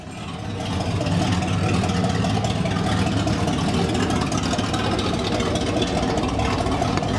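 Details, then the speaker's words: 1979 Chevrolet Camaro 305 V8, barn find, exhaust removed: engine swells into a loud, raw, rasping roar with no muffling as it is revved; missing exhaust system. "Now we got to see what it sounds like with absolutely no exhaust at all. That is scandalous 305 activities right there. So loud."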